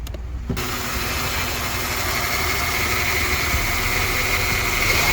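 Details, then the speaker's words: 1998 Honda Odyssey with JDM F23A swap; idle hunts and surges up and down, runs better with MAP sensor unplugged, MAP sensor already swapped; owner suspects gasket maker used instead of a gasket is clogging a port. "See how it kind of idles up and down? It surges a little bit."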